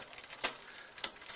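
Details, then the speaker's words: Shimano RD-5800-GS rear derailleur, cable overtensioned: light chain rattle with a sharp tick about every 0.6 seconds as cranks turn; jockey wheels sit between gears, chain almost shifting up, noisy and wearing. "it but but it keeps being noisy because the upper and lower jockey wheels are again in an in-between position"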